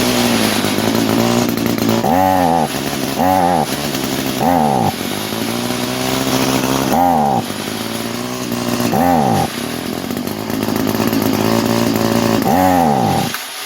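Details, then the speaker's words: 22-year-old Echo string trimmer, two-stroke, sat for years, running at full choke and full throttle: buzzy note surges and sags unevenly every second or two; compression good, carburetor starving and needs replacing. "But this carburetor is not happy. So, will it run? Absolutely. The engine sounds healthy. It's got a great compression. We just need basically to replace that carburetor."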